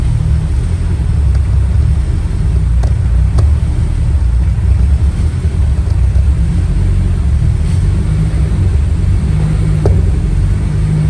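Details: Honda S2000 with hard start and rough idle: deep, uneven idle that lumps and wavers instead of holding steady, caused by a faulty fuel pressure regulator, solved with a new FPR.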